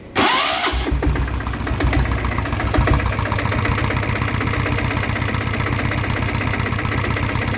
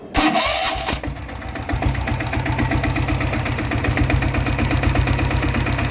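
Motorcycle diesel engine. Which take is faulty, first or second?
first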